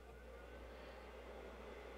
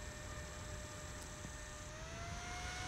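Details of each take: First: Hiland-type bench DC power supply: quiet, continuous airy whir and soft low drone as its cooling fan runs full time at constant speed, bothersome in a small room. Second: Modded Hiland-type bench DC power supply with a temperature-controlled cooling fan, heatsink heated by a soldering iron, microphone near the fan: a steady fan hum steps up in pitch after two seconds and holds; the fan is ramping through its speed steps as intended.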